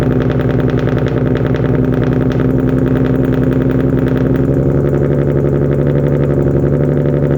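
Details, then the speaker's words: Infiniti G37 VQ37 V6, first start after installing wrapped 1320 headers and cleaning throttle bodies: rough, stumbling uneven idle with heavy smoke; misfire, owner suspects PB Blaster or header wrap burning off, later thought probably due to not disconnecting battery. "well guys i don't know what exactly happened but that's probably uh all the um pb blaster burning off and it's smoking a lot and it sounded like it was misfiring a lot but it also might be the uh the header wrap"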